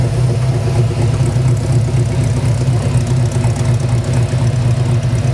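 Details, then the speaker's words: Old carbureted engine with a two-barrel carb, dual exhaust all the way back and two electric fans, just moved under its own power on a hot day: deep, steady, even idle rumble, no ticks or knocks, no smoke; normal idle. "Thing sounds pretty good. Dual exhaust all the way back."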